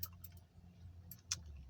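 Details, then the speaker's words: 2008 Honda CR-V, 163,000 km, in neutral: a few sharp light clicks over a low hum with no cranking; starter motor just clicks, failed starter suspected while alternator charges fine. "yeah yeah I couldn't for it was kind of clicking the start must just click click"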